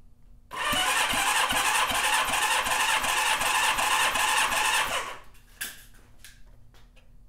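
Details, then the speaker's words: Honda CB550 four after top-end rebuild (head gasket oil leak), cold on the bench, oil squirted in cylinders: even cranking compression test, matched strokes; cylinder 1 reads 150 psi vs 117 before, manual normal 150-170. "right, number one has 150, excellent. Now 150 to 170 is what the service manual calls for as normal. So that's good."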